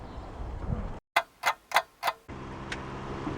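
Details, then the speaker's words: Freshly rebuilt Honda VTEC engine on its first start attempt: four sharp clicks about a third of a second apart and no cranking; the starter Bendix engages but won't turn the engine, a starter wiring fault. "starter motor is not engaging I know yo this is ridiculous"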